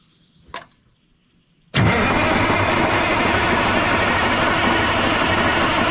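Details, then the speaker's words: 1980 Peterbilt 359 with Caterpillar 3408 diesel, sat dead for years: a click, then steady heavy cranking that never catches or speeds up. No fuel from the return line, so it likely isn't pulling fuel; crank no start. "Got nothing coming out of the return. That ain't good. It's less than surprising."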